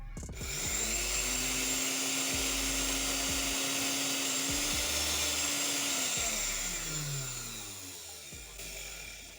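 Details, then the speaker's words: Oster blender motor after replacing the bushings and bridge, tested before reassembly: spins up to a smooth, even high whine, holds it steadily, then winds down cleanly; no scraping or rattle, the loud noise is gone. "we see that the The motor is perfectly working as it should be, the last thing would be is to place all the pieces."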